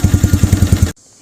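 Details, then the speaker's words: Tractor Supply mini Jeep (Massimo): with battery connected and key on it starts, but starter keeps cranking until battery disconnected; rapid even low chuffing about ten beats a second then silence at power cut; ignition switch already replaced, stuck starter solenoid relay suspected. "with the key turned on if the batter's connected she starts but the starter will not quit turning unless you disconnect the battery now it'll run just fine you can cut the switch off and it'll cut off so I figure starter solenoid right"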